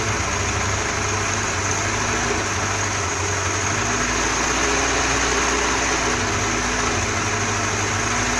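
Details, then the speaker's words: Holley carburetor on a 4-cylinder Dodge Dakota, electric fuel pump, very low float fuel level; idle stumbles unevenly with a low-speed circuit port uncovered, then smooths and speeds up when covered. "escuchen como como falla ahora lo voy a tapar"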